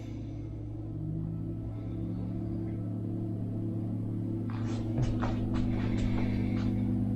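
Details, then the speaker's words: Jackery Explorer 1000 Plus LiFePO4 power station switched from slow charging (about 289 W) back to fast charging; the cooling fan's steady low whirring hum swells and holds stronger, ramping up normally. "You can hear the fan ramp up."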